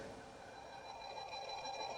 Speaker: nah ada suara ngingnging dan dengung Karena untuk modu MP3 bluetooth kalau suplya disatuin dengan Kit atau power yang lain ke rangkaian lain suka ada dengung atau suara nging